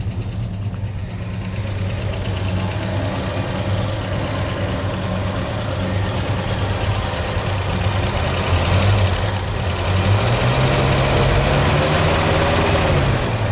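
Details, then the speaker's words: 1965 Ford Mustang 289 V8 barn find, parked 29 years, running on fuel primed in the carb: steady even idle with smooth rumble, clean rev rise and return, no misfire or knock; runs like a top. "running like top. All right. So, it runs off the fuel in the carb."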